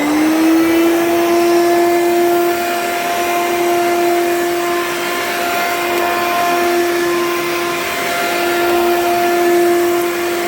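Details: Hoover U3109 5.5 A vacuum, heavy and dirty: loud, steady high-pitched motor whine holding level throughout, far louder than it should be; afterwards it smells burnt.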